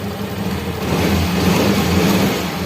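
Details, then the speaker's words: Fuel-injected Yamaha Mio scooter that would not start because of a dead fuel pump, after pump replacement with pressure near 400 kPa: quick throttle blips rise and fall cleanly with no hesitation; normal, responsive rev response. "oke oke untuk seber motornya ini sudah menyala Ya sudah menyala"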